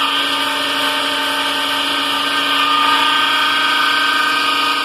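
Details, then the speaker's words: Electric motor making a strange noise: a steady whirring hum with a sharp high ringing tone and faint quick rattle, coming from inside the cover. The cover appears crooked and missing its lock clip. Owner suspects this and will refit the clip, cause unconfirmed. "é aqui dentro ó que tá fazendo barulho mesmo nesse negoço"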